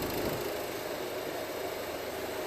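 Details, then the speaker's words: After a fuel filter replacement and fuel-system bleeding on a diesel car, a brief miss on start-up gives way to a steady, even, smooth idle with no knocks, as fuel circulates without an airlock. "as you can see start it up um straight away and this will run now perfectly leave it run for a couple of seconds if you want just to let all that fuel get around and"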